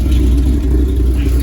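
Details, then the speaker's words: El Camino V8 after carburetor tuning for rough running, fully warm, rainy test drive: deep even low rumble, no stumble or misfire; not breaking up. "the car doesn't seem to be breaking up at all um but then again I can't tell cars already all the way up to temperature"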